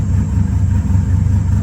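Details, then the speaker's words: 2000 Silverado 5.3 Vortec with Brian Tooley Stage 3 cam, first start of the idle relearn: a steady, low V8 idle with clear cam lope and no surging. It sits below the earlier 1000+ rpm and idles normally. "Doesn't sound too bad, because earlier it was going above the 1000 RPMs. You can even hear the cam better now."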